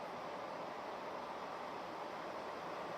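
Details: 1980s 36-inch SMC Laguna ceiling fan on high: quiet, constant airy whoosh, no rattle, scrape or ticking; slight wobble on high that partly balances out; very good, fast-running fan.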